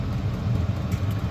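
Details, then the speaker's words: Likaci diesel air parking heater, newly assembled and running off a battery, blowing warm air strongly with a steady low drone, even rumble, no ticking or surging; burning cleanly, normal running. "This is actually blowing out air beautifully."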